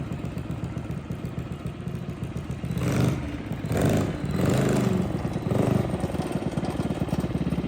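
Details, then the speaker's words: Custom yard go-kart engine with fresh oil, revved in short bursts: clattery rattle rising with speed; owners suspect drive bearings or chain alignment; chain drive noise, cause not confirmed. "They spun it once, and now it's not sounding too good with the chain."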